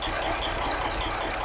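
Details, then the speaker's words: 1983 Kenworth cab-over, Cat A-model diesel, after resetting injection pump timing and overhead that were slightly off; steady, even idle with smooth low beat, no knocks or stumbles; owner thinks the idle/starting problem is fixed. "But it sounds like maybe I fixed it. I mean, it sounds pretty good, doesn't it?"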